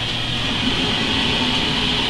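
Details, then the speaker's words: Oil-fired furnace after hot water tank calls for heat and zone turns on, burner drawing air: steady, even rushing roar with no pulsing, rumble or stumbling; oil burner firing normally. "and you probably can hear and see that it's drawing air and it's telling that zone that it needs to turn on"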